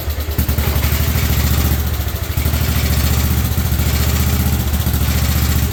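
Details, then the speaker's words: 1958 Wisconsin AENLD engine, revived, muffler fitted, fed from a fuel bottle: steady low even thumping beat, no misses or knocks, purring smoothly; normal running. "I have to say it sounds freaking amazing that sounds amazing she runs so smooth when she's going"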